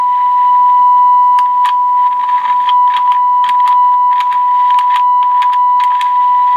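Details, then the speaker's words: Sony Air 7 airband receiver that was not receiving, with a 76 MHz signal-generator tone injected: the steady tone is broken by random scratchy crackles and dropouts, and the glitchy, erratic behaviour points to bad volume/squelch pots. "so this is injecting 76 MHz for my signal generator so that should be working correctly um but this is really glitchy these pots appear to be bad"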